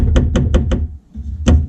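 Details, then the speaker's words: 2009 Nissan R35 GTR driver door, card off: four quick hard knocks about five a second, pause, one more; loose block with hard corner in lock area rattling against door. "This is definitely what's causing the noise cuz that's a hard corner there and it's rattling against the door. It's definitely loose."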